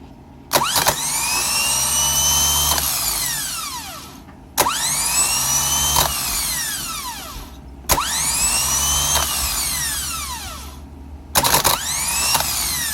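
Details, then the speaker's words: Mercedes S600 W140 starter on the bench after cleaning the commutator and brushes, powered by a portable jump pack: four short bursts, each spinning up with a high whine and running down smoothly with no grinding; the starter works normally. "that's the idea it does work I have my portable jump back over here to get all the power that it needs because power supply obviously is not going to be powerful enough to activate it"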